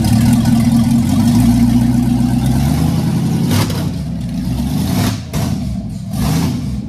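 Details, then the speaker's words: 1967 Chevy van after 4x4 conversion, V8 with a brand-new, unadjusted carburetor just bolted on and timing set by ear; catches and settles into a steady, even lope with a smooth blip, no misses or knocks. "we haven't touched that carburetor it's a brand new carburetor and all we did is is Bolt it on so it it runs that good just bolting it on"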